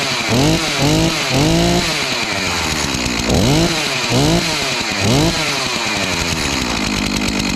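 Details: Stihl MS251C chainsaw after clutch and melted cover replacement, test-run without chain: crisp two-stroke blips rising and falling cleanly with each throttle squeeze, settling to a steady idle; normal running.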